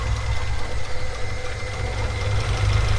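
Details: Honda Del Sol with B20 engine: petrol engine idles unevenly with irregular low thumping and a lumpy, stumbling misfire beat; owner recalibrates the TPS sensor (4.5 V at open throttle) to try to cure the misfire and rough idle.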